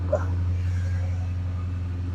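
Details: Flood-damaged 2010 Dodge Challenger SRT8, 6-speed manual, 58,000 miles, first start attempt after the flood: steady, even low V8 rumble with no misses, knocks or ticks; runs smoothly.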